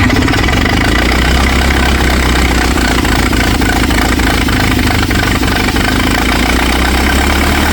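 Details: 1964 LeRoi 125G1 trailer air compressor, engine possibly an Allis-Chalmers D226 of about 42 hp, straight-piped with no muffler. Loud, deep, steady exhaust bark with even firing and no misses or knocks: normal running.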